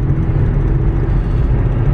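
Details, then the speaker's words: VW Touareg driving at 75–90 mph after a center driveshaft bearing fix: steady low road-and-drivetrain rumble with no pulsing shudder and no vibration felt; worn tires may add slight vibration; normal highway driveline. "But there is 75. 80, 85, 90, and I'm not feeling any vibration."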